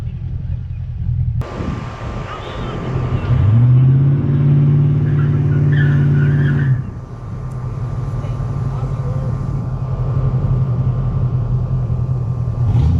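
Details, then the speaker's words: 1986 Ford Mustang GT V8, original owner, first start in over ten years: deep, slightly uneven idle rumble, brief rev then settles; known exhaust leak adds to the burble. "we already know about the exhaust leak so right now it actually doesn't sound too bad because it sounds like it's got a nice little rumble to it"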